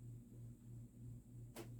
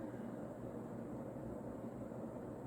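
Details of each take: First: Vintage, probably early-mid 1980s Union Ngok Kee 36" 'Super-36' spinner ceiling fan, model 4CLW-3SPC, running on low (owner finds low too fast): low steady hum with slight pulsing and an intermittent sharp click, new to this fan, cause unknown. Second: Vintage, probably early-to-mid-80s Union Ngok Kee 'Super-36' 36" spinner ceiling fan, model 4CLW-3SPC, rebalanced after bent blades, on high speed: smooth even blade whoosh with a soft steady motor hum, no wobble or ticking; a nice runner that moves a lot of air.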